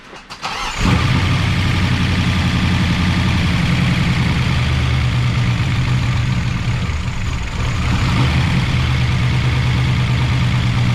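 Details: 1988 Chevy Camaro IROC-Z V8, first start after replacing lifters that would not stay pumped up: starter catch, then a steady, even idle with a smooth low burble and no top-end ticking; normal idle.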